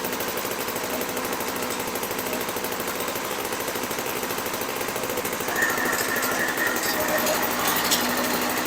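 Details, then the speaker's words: Six-dollar 1980s MTD Snowflite two-stroke snow blower, sold as a non-starter, primed: rapid, buzzy putter holds steady and even, picking up a little near the end; engine runs properly. "oh well I'm glad I put my ear mou on cuz man that sounded like it might have been loud okay so that works"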